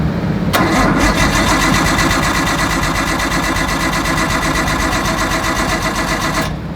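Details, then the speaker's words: 1998 Nissan Skyline R34, right-hand drive, bought not running, original battery dead, jump pack and cables to a truck: steady cranking about four beats a second for six seconds, never catches; cranks but won't start, cause unknown. "Starting off with number one, the most obvious thing is it does not run. That sucks. I don't know why."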